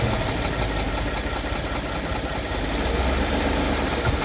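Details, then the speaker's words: 2014 Ford F-150 3.5 L EcoBoost, idling in gear after revving, rough irregular knock; oil pressure good; knock absent before engine reached temperature; cause not pinned down, owner notes area where crankcase meets transmission. "Rev it up again. All right, let it idle. You can hear the knock."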